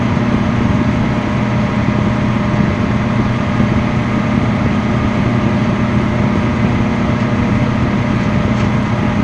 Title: Microwave Noise